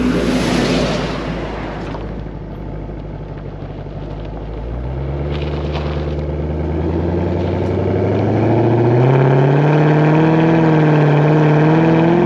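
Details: 2007 Dodge Magnum SRT8 V8, warm at about 206°F coolant on a hot, roughly 100°F day, recorded with a GoPro at the rear by the exhaust. It catches into a deep, even burble, then pitch climbs smoothly with each throttle blip; a clean, healthy exhaust note.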